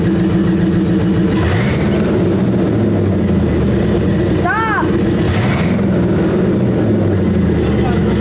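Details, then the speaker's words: 1953 Buick Super at startup after new mufflers installed to quiet it: deep loud rumble settling into steady idle, about as noisy as before; loud exhaust, quieting attempt unsuccessful. "Okay, Daddy, it's good. Doesn't sound much different."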